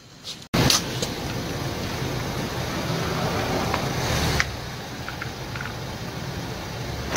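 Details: Tanaka ECS-4000 chainsaw after carburetor cleaning and new diaphragm (previously would not start despite fuel filter change): pull-start then steady, even buzzing idle with no misses or surging; runs cleanly.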